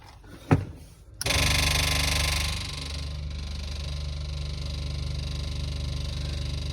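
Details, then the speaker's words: Toyota KE30 Corolla, ignition on: steady low electric hum with faint high whine, the small fuel pre-pump priming normally. It sounds louder because the back seat is out. "so that's the pre-pump that's the little one i'm glad it quieted down it sounds a bit noisy because there's no back seat or so once there's a back seat it'll dampen out"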